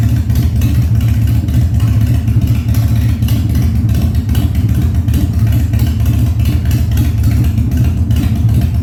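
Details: 1997 Harley-Davidson Fat Boy after carb cleaning, new spark plugs and new battery, no air cleaner fitted; cold start on choke at 70°F, humid. Deep, loud, even V-twin thump steady under throttle, no popping or backfires; revs normally.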